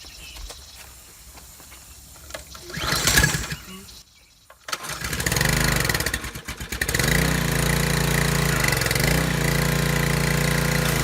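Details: Discarded Craftsman 2700 psi pressure washer with hose and wand attached. A couple of pulls, then it catches into a steady, even mid-pitched drone while washing under load; running well.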